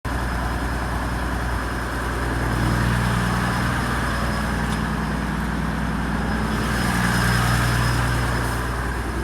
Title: HDJ81 rough idle and smoke